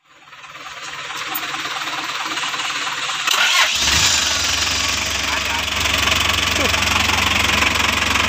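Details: Toyota Dyna Rino 1115 truck, B12 diesel engine, first start after a full overhaul: starter cranks, engine catches near three and a half seconds and settles into a steady, even clatter; normal healthy running.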